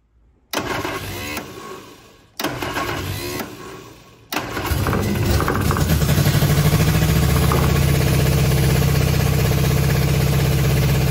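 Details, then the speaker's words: Innocenti Spyder, running off its own fuel tank for the first time after a clogged tank was cleaned, started via a hot-wire box: two short cranks, then a steady, even idle, with the generator apparently charging. Normal start and running. "looks like it's running I think from the flashing of that light there I think our generator might be working as well so that's pretty neat"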